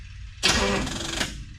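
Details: 1963 Chevrolet Impala, owned about 3 years, fresh ignition tune-up, gas squirted in carb, battery on charger: short weak crank under a second that never catches, firing less with each of 2–3 tries; dead battery suspected, ran fine yesterday.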